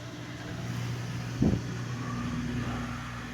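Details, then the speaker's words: Whirlpool Duet Sport washer, previously grinding and not draining, after drain cleanout and pump replacement: a low, steady drain-and-spin hum with one soft thump and no grinding or rattling, running smooth and healthy. "spin sounds so much better what do you guys think"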